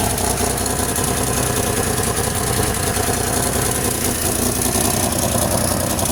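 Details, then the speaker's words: Swapped supercharged V6 in a 2006 Grand Prix, first run after hooking up the exhaust, no MAP, MAF or O2 sensors connected: steady idle with a raspy puffing exhaust leak near the engine; no knocks or ticks. "Definitely got an exhaust leak right there."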